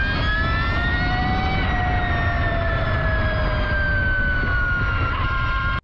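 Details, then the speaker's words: Electric motorcycle with a fixed straight-cut reduction: clear whistling tones stacked over road rumble, easing down in pitch as speed drops; gears audible because the motor is very quiet. Normal straight-cut gear whine. "algumas motos elétricas possui Uma redução fixa para o motor elétrico com engrenagens de dentes retos Então como o motor elétrico é muito silencioso o som das engrenagens fica muito evidente"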